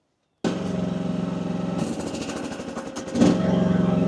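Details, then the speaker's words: AGT WH12R 1-ton mini excavator diesel at low rpm with hydraulic relief pressure set to 2,700: engine chugs, then slows and labours as hydraulics load up, nearly stalling; bogging under load, 2,700 likely too high. "Hear that? Hear how it's wanting to die?"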